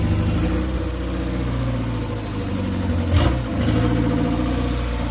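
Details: 1969 Ford Capri after fitting another carburettor with smaller choke: steady even low idle, smooth unbroken rhythm, no knocks or stumbles; normal idle, runs much better.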